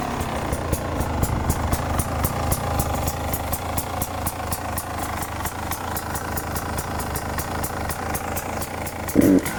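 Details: 2018 Beta 300 RR two-stroke: revving with a sharp regular tick about twice a second over the exhaust note; origin unclear, worth inspecting.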